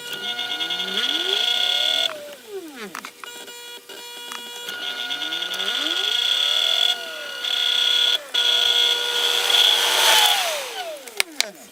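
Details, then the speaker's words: Porsche Boxster 986 radiator fan (removed from the car, accident-damaged) bench-tested on 12 volts after a $10 resistor repair: the motor whir spins up, holds a steady hum and winds down cleanly with no grinding, and both speeds now work. "So we tested it, and both speeds work now, just like it's supposed to."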